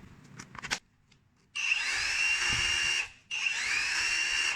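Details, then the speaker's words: Dongcheng rotary hammer after repair of a worn bearing that let the rotor rub the stator, test run in drill/hammer-drill mode: two short runs of steady, even high motor whine with no rubbing or grinding; normal running. "好，听这个声音没有问题。"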